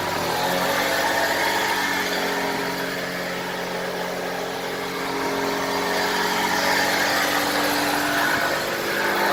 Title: 2007 E93 BMW bad wheel bearing.